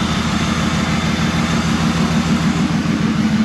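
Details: 2004 Dodge Ram SLT 1500 V8: loud, steady idle with deep, even rumble and no ticking from the front, so timing chain judged fine despite mechanic's claim; cam position sensor code present, cleared.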